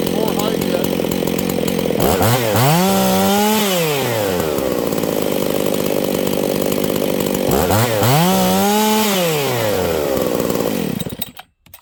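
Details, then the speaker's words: Husqvarna 268 open-port chainsaw, high jet turned out yet still lean: screams to a thin rising top-end whine twice, no burbling four-stroke at full throttle; running dangerously lean. "friends we have a hijet issue did you guys hear that this thing is going super lean"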